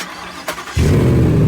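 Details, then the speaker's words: Ford Raptor R rebuild from a rollover, with stock exhaust, restarted: quiet cranking, then a quick catch into a deep, steady, full-bodied rumble with a little puff of smoke; a clean, healthy start. "This thing sounds good for a stock exhaust."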